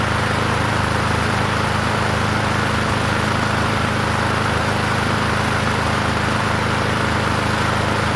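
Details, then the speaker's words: Murray 21" push mower with engine stamped 125, running: steady single-cylinder drone with a buzzy metallic rattle from the vibrating muffler guard, whose bolts need tightening. "Okay, I don't know if you guys heard me. The the muffler cage is is vibrating. So, I have to tighten those the bolts down on that and that should keep that from rattling."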